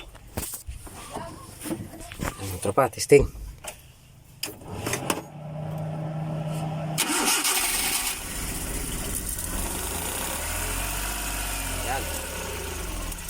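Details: Suzuki F6A rear-engine multicab, hard starting from valves held open after overheating due to near-empty oil: clatter and several cranks, then catches and settles into fairly even idle without obvious misfire.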